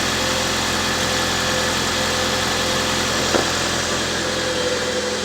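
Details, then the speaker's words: Jeep Patriot right after alternator replacement, battery just under 12 V: starts and idles smoothly with a steady low hum, no howl or whine; now charging normally. "the car should start hopefully it already sounds a lot better and there we go charging"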